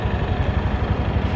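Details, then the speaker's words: Honda Vario 150 scooter, engine and CVT sound check during used-bike review: even low idle putter with steady beat, no knocks or rattles; engine smooth. Normal idle. "Nah, untuk mesin dan CVT bisa dicek suaranya. Nah, kalau masih halus,"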